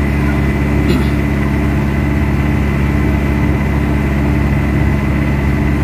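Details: Mitsubishi Adventure diesel, engine hot, after an XADO engine treatment given for throttle delay, vibration and low power; a steady, even idle with a smooth low drone and no knocking; sounds healthy.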